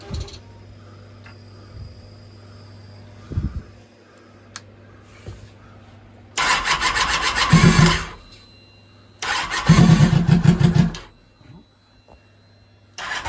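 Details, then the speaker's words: 2006 Kawasaki Ninja ZX10R with no mufflers, final run after fuel system diagnostics: quiet idle, then two loud, crisp throttle blips that rise and drop cleanly, the engine pulling and settling normally. "sounds pretty good oh neighbors are going to call the cops on me again"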